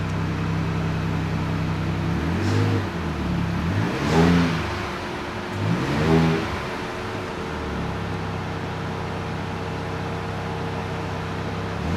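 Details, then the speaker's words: 2025 next-gen Ford Ranger Raptor with stock blow-off valve before the Turbosmart Kompact EM Dual Port install: steady engine hum, soft revs, faint whoosh on lift-off, nothing dramatic; normal blow-off valve sound. "As you guys saw, nothing dramatic, none too crazy."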